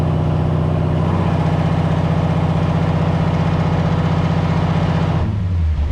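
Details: C4 Corvette V8 with Holley Terminator X EFI on dyno: lumpy, uneven idle with a loping beat and soggy low tone; runs rich (dyno AFR about 10.2 while Holley O2 reads 13.8), faulty oxygen sensor and grounds.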